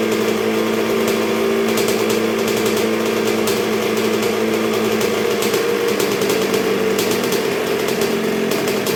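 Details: 1986 Honda CR125R two-stroke at first start and break-in after a new .060-over Wiseco top end: steady, even buzzing idle holding low and stable, no stumbling or surging, though not yet fully broken in; sounds healthy.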